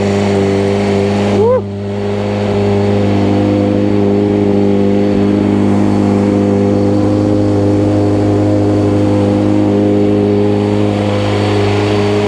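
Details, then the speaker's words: 1995 Honda CBR600F inline four, warming up after sitting a very long time, with WD40 added: it revs up cleanly and settles into a smooth, steady fast idle with no misses or knocks; runs nice and quiet, healthy. "that's sounding good I tell you what she's a sweet ride well there you have it that runs really nice it's nice and quiet"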